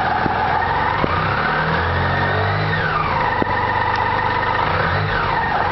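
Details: BMW K75 RT cold start: engine idles loud and uneven with some roughness and a couple of sharp ticks; abnormal cold-start noise, cause unclear.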